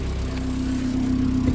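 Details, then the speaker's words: 1990 Mk2 Golf with an idle issue: steady, rough idle with a loud, buzzy exhaust note and a coarse rattle from a bad resonator the owner plans to cut off. "get a pipe cutter and just cut that freaking thing off because it's just it sounds so bad god yeah hate that"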